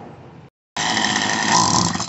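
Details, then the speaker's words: Poulan Wild Thing 2375 LE chainsaw after carburetor and fuel line repair with fresh gas; a weak low putter drops out to silence, then the saw catches and screams at high revs; it stalls at idle, and the idle needs raising. "oh all right keep stall out all right so more than likely this thing it's it's stalling out at idle"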